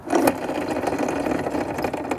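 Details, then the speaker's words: Pentair Legend pool sweeper, turbine shaft spun by hand with front wheels off: dry buzzy whir with loose rattle from the two worn shaft bearings with play, risking premature gear wear; bearings being replaced. "remember when two sets of gears or one is driving another they need to be in a precise location otherwise like I say you're going to get premature aware of the plastic parts of the gears and these spin freely but listen to it"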